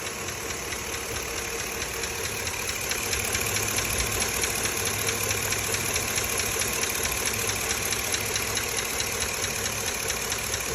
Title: Ticking noise! 2005 avalanche 5.3 L. 90,000 miles.! #mechanic #chevrolet